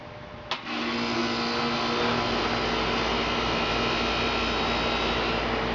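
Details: 2003 Carrier 3.5-ton condenser, test run after a new fan motor and capacitor: a click, then a steady whooshing run with an even hum and no grinding or rattles; the condenser fan runs smoothly.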